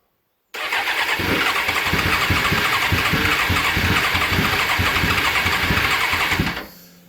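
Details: Suzuki GSX-R750 SRAD that sat since September without starting, clutch pulled, cranked without and then with some choke: uneven firing catches briefly for several seconds, then dies. It has spark; fires but won't keep running.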